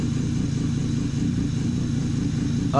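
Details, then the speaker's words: BMW E46 M3 SMG Touring, first cold start after VANOS refresh and fuel pressure regulator replacement, in neutral, exhaust section fitted after header; steady low rumble with uneven, choppy idle while timing relearns; rough cold idle. "the engine is a little choppy right now because it's the first time starting uh it's had a Vanos system refresh so it's figuring out the timing it's on a cold start so there's a lot of different things that are going on"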